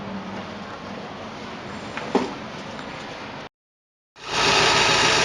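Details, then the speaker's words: GAZ Gazelle van, ZMZ/UMZ 4216 petrol engine, after teardown repair of front knock near camshaft: smooth even idle with no knocking, warming up; fault was a shaft in the camshaft/timing area. "всё, Gazelle запущена. Шум прекратился."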